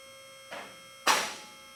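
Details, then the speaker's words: Advantage Lift during first full run to the top after final assembly, before lock adjustment: two separate metallic lock clacks about half a second apart over steady power-unit motor hum, as locks click through each hole unsynchronized; lock cables still need adjusting. "You'll hear the locks clicking as it's going up through each one of the holes. At this point, we have not adjusted them, so they're not clicking all at the same time."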